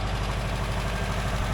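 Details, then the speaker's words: 1982 air-cooled VW Vanagon Westfalia: smooth, even idle with a steady quick beat, idling too high at around 1,000 rpm instead of about 800; otherwise running well. "Now I guess sounds like it's running pretty good. It's idling a bit high. I put the RPM gauge on there. It's around 1,000. It should be down around 800."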